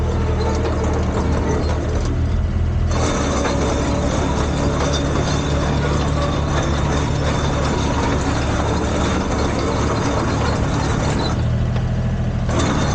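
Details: Komatsu PC10-3 mini excavator diesel at low idle: a steady, even chug with no knocks or misses, just enough to keep the battery charged. Normal healthy idle.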